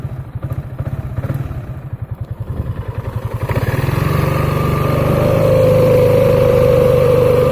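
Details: Piaggio Beverly 500 scooter CVT variator at start/low speed: even idle thump gives way to a low, booming drone as it pulls away. Cause: glazed clutch shoes plus an uneven clutch bell. Fix: sand the shoes and have the bell turned true on a lathe.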